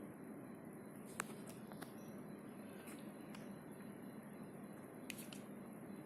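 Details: Panasonic CS-S10PKP air conditioner indoor unit: the nanoe-G ion generator gives a quiet steady hum with faint hiss and scattered sharp crackling ticks. This is new behavior, and the owner is unsure whether it is normal.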